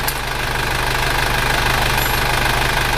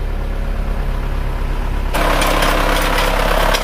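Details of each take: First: Isuzu Panther diesel after an engine overhaul, idling at 90 °C working temperature: steady light clatter, even rhythm, no misses; exhaust smoke far reduced though slight smoke remains; healthy engine. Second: Isuzu Panther diesel after an engine overhaul, just started and held at about 1000 rpm fast warm-up idle: slightly uneven, lumpy knock around 146 a minute; injectors 2 and 3 found not atomizing, dribbling, only 1 and 4 spraying well.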